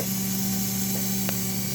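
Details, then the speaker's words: Rebuilt model train S'ta Rosa DC motor (vintage PulMor armature, six magnets, new RC front ball bearing) at 17 V, about 0.4 A: steady even hum, clean constant tone, no grinding; normal smooth running. "listen to it look at it red that front ball bearing has to be making a difference"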